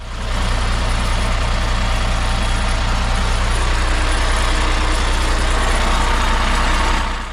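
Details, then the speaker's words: Chinese heavy diesel truck idling, listened to near the gearbox: a fast steady metallic buzz over the engine; a clutch bearing was also suspected, but the cause was a loose bolt letting a pipe vibrate. "确实能明显的听到一种类似金属震动的异响。"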